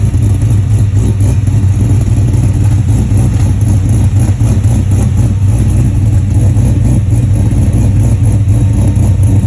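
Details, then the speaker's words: 1967 Chevelle with LS3 480 hp V8: deep idle with steady lumpy chug repeating several times a second; rough idle, cause not evident. "Maybe you can hear this thing chugging along. It's rup, rup, rup, rup, rup, rup, rup."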